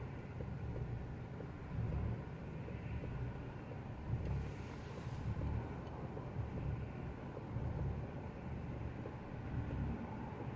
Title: Rough idle 2